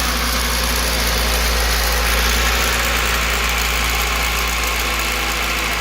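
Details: Cold start, petrol engine at idle: fast light rattle over a steady hum, seemingly from the distributor; persists after distributor replacement, with the components checked OK and valve lash set correctly.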